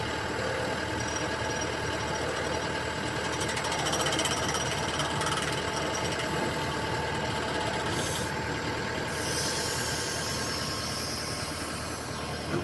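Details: Komatsu excavator during swing: harsh, uneven knocking about three to four a second over the hydraulic drone, from the swivel joint; abnormal noise during swing.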